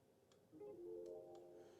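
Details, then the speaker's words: Classic Ford Puma with the ignition switched on during A/C diagnosis: faint, sharp relay clicks over a quiet tonal background; the A/C relay is energised and switching over normally. "It is clicking over. So maybe the switch, just can you hear it? Yeah."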